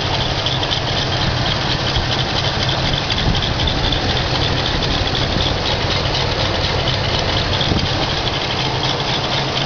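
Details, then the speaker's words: 1978 Mercury Marquis Brougham, 351 V8, cold start on fast idle after years off the road: lumpy, uneven beat, tractor-like sound not from the belt, some smoke; idle smooths out once warm. "it will stay running and once it warms coms up it the idle Smooths out and it's on fast idle"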